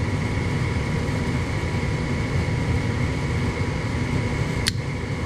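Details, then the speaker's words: Lennox furnace with a suspected faulty gas valve: background hum, then a sharp click as a test contactor wired to the gas valve leads pulls in. The board is sending 24 V properly, so the gas valve itself is faulty. "boom contactor closes so that's showing us that uh circuit board is doing the job it is sending the proper 24 volts it's closing the contactor just fine"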